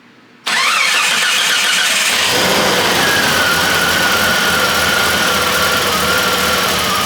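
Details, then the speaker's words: Truck engine on a test stand, showing 65 PSI, after a single change: it cranks, catches, then runs lumpy and stumbling under a faint whistle and starts hazing black smoke; misfire, cause not yet found. "well you hear that they don't like running at all it's very hard for y'all to see but it's starting to Black Haze"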